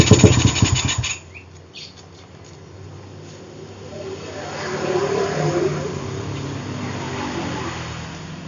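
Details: Suzuki Satria FU motorcycle with PE carburetor, hard to start especially cold: engine fires and blips, then drops to a quiet rough idle, test after replacing pilot jet with a larger one and carb repair kit parts.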